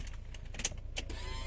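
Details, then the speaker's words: Proton Wira that cranked but would not start, after its fuel pump connector was refitted: at key-on a faint steady low hum under light clicks as the pump primes, then the car starts; normal. "Yes, ada bunyi hum dah sekarang. Dengar ya bunyi dia."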